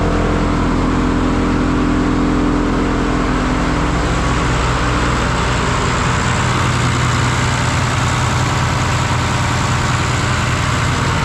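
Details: John Deere 2955 tractor driving repaired Case 600 blower via PTO, revved up: revs climb smoothly, blower spins to even whir, no ticking or rubbing; normal running.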